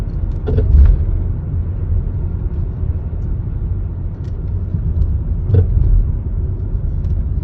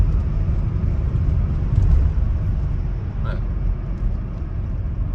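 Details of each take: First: Volvo V70 driving over bumps: low road rumble with sharp clunks, front end clattering; strut top mount (Domlager) rattle, being replaced though cause not confirmed. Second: Volvo V70 on an uneven country road after replacing a rattling front strut top mount (Domlager): only steady low road rumble, no knocks or rattles; the earlier clatter over bumps is gone, suspension quiet.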